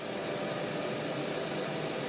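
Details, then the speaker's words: Montek X1200 prototype power station (1200 Wh LiFePO4, 2000 W inverter) solar charging at 10.6 A input: loud steady rushing airflow with no rhythm; cooling fan really screaming, excessive noise. "and the fan is really kicking on in this unit now it's really screaming"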